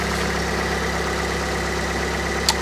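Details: Fiat 500 Lounge, Cat S salvage, 115K miles, petrol, after throttle body cleaning: steady even hum with a constant low pulse, no hunting or stumbling; engine idling smoothly.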